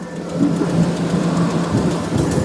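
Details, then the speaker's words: Tow vehicle with transmission overheating, after replacing fan clutch with severe-duty unit: even idle with steady strong fan rush, moving air it didn't before, no knocks. "It does sound like it's moving air. It wasn't doing that before."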